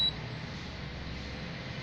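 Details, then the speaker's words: Galvanic facial spa device switched on at setting 1 with moistened hands: a single short high-pitched beep, then faint hiss; the beep confirms the device is on and working normally. "Kemudian pastikan alatnya ini bunyi. Nah, kalau dia udah bunyi itu berarti alatnya bekerja."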